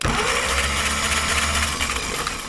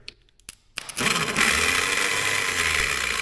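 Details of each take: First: Caterpillar pony motor starter, previously whirling without engaging, after loosening the bolts and wedging it at an angle: catches cleanly and turns the engine over in a steady fast churn with no grinding; pinion now engaging. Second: Caterpillar pony motor starter, electric: high light whirring whine spinning freely about three seconds and winding down; starter whirls without engaging the engine.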